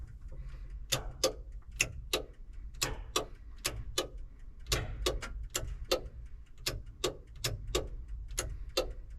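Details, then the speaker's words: Hesston 6650 after rewiring: with the key on and power to the master boom switch, sharp crisp clicks sound about twice a second, often in pairs, as the hydraulic solenoid valves energize normally. "You can hear those solenoids clicking, that's good."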